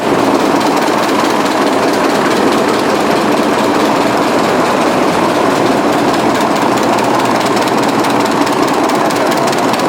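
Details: 1920s 45 hp General Electric genset, serviced after over 10 years unrun, just started at half choke: smooth, even, steady rapid beat, no knocks or misses; healthy engine.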